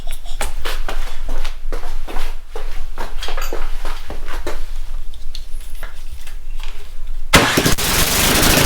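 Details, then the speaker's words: Snowblower with a previous no-start, cold, on full choke in a closed garage: sputtering pops and coughs while cranking, then it catches into a steady, even roar. It fires right up and is back in working condition, a little smoky. "awesome there we go from no start condition to fires right up little bit of ballet to get that moving but looks like it's back in working condition that's great"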